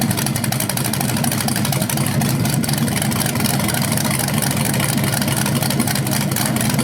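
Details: BluePrint 396 big-block crate engine for a 1970 Camaro SS, first outdoor run on the stand after oil priming and a timing check: loud, lumpy idle with strong even exhaust pulses, no knocking or ticking; healthy, no leaks seen.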